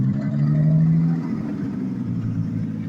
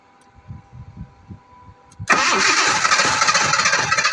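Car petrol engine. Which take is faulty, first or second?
second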